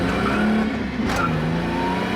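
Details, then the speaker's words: Holden VS Commodore ute after fuel system work, new fuel pump: smooth engine note, steady low tone rising under load in fourth gear, no stumbling; much more torque than before, accelerating normally. "Woohoo! It definitely has way more torque, like even as you're just going fourth gear, just way better than it was."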